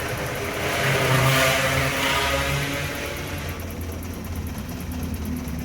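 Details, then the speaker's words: BMW E30 M10 engine, misfire persisting after good valve clearance check, fuel normal; uneven stumbling beat around a hundred pulses a minute as throttle opens, shakes and won't rev cleanly. Misfire. "Kanan bensin normalik gasnya ini berebut nih. Oh, getar sekali ini. Gak mau naik lagi."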